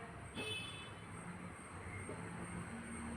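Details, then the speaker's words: Toyota Innova Crysta with a hard clutch. With the pedal pumped and held near the release bearing fork, only faint clicks are heard; the earlier creak is gone. "Okay ഇപ്പൊ ആ സൗണ്ടോ കാര്യങ്ങളോ ഒന്നും കേൾക്കുന്നില്ല"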